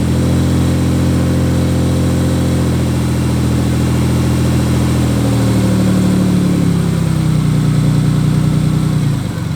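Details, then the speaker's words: Cold idle, car with an aftermarket clutch, throw-out bearing and aluminum flywheel: a loud diesel-truck-like clatter. It is a noisy throw-out bearing, not rod knock, and loudest at idle when cold. "That is not rod knock, it's a throw bearing. It sounds very loud, I don't know why. I have a Satch throw bearing with a Satch clutch and a Finanza aluminum flywheel, and it makes a lot of noise, especially idle when it's cold."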